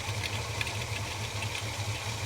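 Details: Holden HK V8 just after a spark plug change, with fresh 20W60 high-zinc oil, idle being adjusted: lumpy idle with uneven low thumps. It is running rough and needs re-tuning; the cause is not confirmed.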